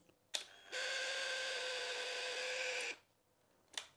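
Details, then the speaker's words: Royal Enfield Himalayan 411 fuel pump tested out of the tank with ignition on: click, then a steady high whine for about two seconds, strange noise because no fuel is in it; pump running dry. "I've turned the ignition on there you go can he the pump priming up it's making a strange noise because there's obviou"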